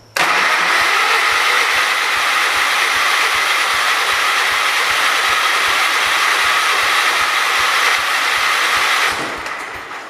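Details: John Deere 212 donor tractor engine tested before teardown; long run of even cranking beats, about four a second, with no clear catch, a reluctant hard start.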